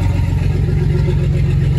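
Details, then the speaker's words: Turbo Nissan 280Z engine (about 8 psi boost, fuel pressure regulator removed) after fitting replacement eBay 280ZX turbo injectors: deep, even low idle rumble with steady firing and no misses, firing cleaner than before, before dialing in AFRs after running lean. "we've got the new ejectors in it sounds like it's all firing a little bit cleaner of the setup too"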